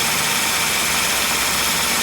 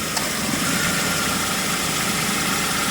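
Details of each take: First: Ford Focus, 93,905 km, about 10 years old, idling with AC on, 31°C outside: loud constant hiss and rushing over the motor; AC compressor noisy from age, oil and O-ring leaks at compressor fitting, repaired keeping original compressor. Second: Ford Focus, about 10 years and 93,905 km, at idle with AC on after air-conditioning repair (all O-rings, expansion valve, drier replaced, original compressor kept): steady, even hum, no knocking or rattle; compressor now quieter and smoother, normal running.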